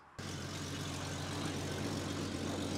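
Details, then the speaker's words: Jeep Cherokee 4.0L petrol at idle: steady rumble with sharp hissing puff on each firing; suspected leaking or cracked exhaust manifold, to be replaced with a stainless manifold. "je vais te faire écouter le bruit le bruit vient de par là donc je soupçonne morceau du collecteur d'échappement qui fuit ou qui est cassé"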